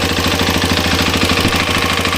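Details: Hero Xpulse 210 motorcycle at 2,841 km, close to the engine top end at idle: fast, even, dry metallic ticking over the low thump, valve clearance tappet noise that started around 2,600 km.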